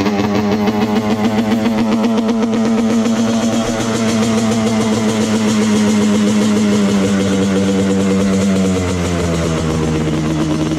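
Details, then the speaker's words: Yamaha Banshee two-stroke engine swapped into a shifter kart, cold first start: fast, buzzy idle holds high then sags slightly. Owner suspects a missing fuel return line causing overflowing. "I don't know why it's idling really fast cuz I have the uh throttle as far back cuz I think I can get it"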